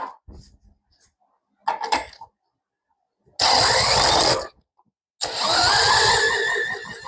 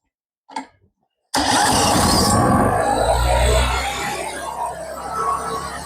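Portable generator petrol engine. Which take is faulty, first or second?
first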